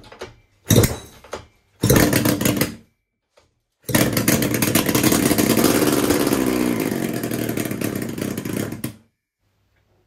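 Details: Rebuilt 1974 Kawasaki S1 550cc four-cylinder, out of the frame, first start after setting ignition timing on four sets of points and rebuilding the carbs, with petrol in the float bowls: a few kicks, then it catches and runs crisp and even about five seconds. Healthy.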